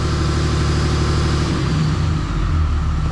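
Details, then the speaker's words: Rebuilt Cummins 6.7 diesel during break-in before hot retorque, good oil pressure and charging, no leaks: steady, even idle with a smooth low rumble, no knocks or misses; normal diesel idle. "Sounds like a sewing machine. No leaks. That's a beautiful thing."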